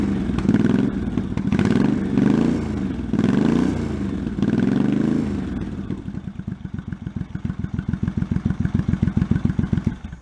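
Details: 1984 Honda Shadow VT700c V-twin, first startup after sitting over 7 years, carbs and fuel lines rebuilt, started with starting fluid; several rev blips then a loping idle slowing before shutdown; runs and revs cleanly, needs minor adjustments.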